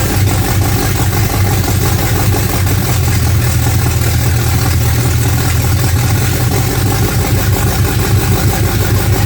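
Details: Freshly built 355 small-block Chevy V8 (double-hump heads) in a '55 Chevy on first fire-up: loud, deep, lumpy rumble with some top-end clatter but running steadily; normal idle.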